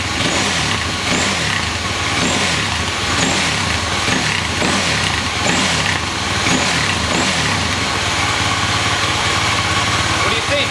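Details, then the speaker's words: 2007 Husqvarna TE250 two-stroke with new 300cc Athena big bore kit, about 10 minutes run time, break-in: crisp, even idle with steady popping exhaust, no misfires; running cleaner than before; normal. "I think I'm already running a lot cleaner than I was before, and I've only got 10 minutes of run time on this thing."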